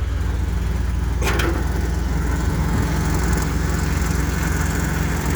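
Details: Diesel truck idling with the PTO off, after the blown exhaust manifold was properly fixed and the engine Seafoamed: deep, even rumble with a steady beat and no ticking, a clean idle.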